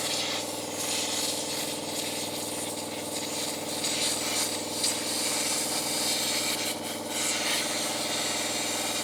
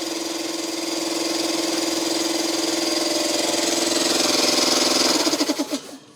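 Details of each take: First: Long-stored air compressor powered up: motor drones at a steady pitch under a loud, constant hiss of escaping air. The tank drain valve underneath is open or missing a piece. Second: Long-stored air compressor, seized pump freeing up after hand-turning: steady mid-pitched hum with rapid even pulse about three beats a second, now running normally; oil level uncertain, so run only briefly.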